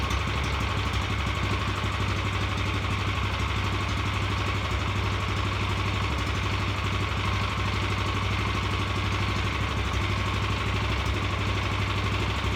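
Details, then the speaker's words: Revived Vanguard 9 hp single-cylinder tractor engine after carburetor work: holds a fast, even idle that never drops back even with throttle switch down; throttle cable sticking and not returning, causing high idle. "went through there and noticed that the throttle cable was sticking it wasn't returning all the way so it would just sit it high idle even if your uh your throttle switch was down"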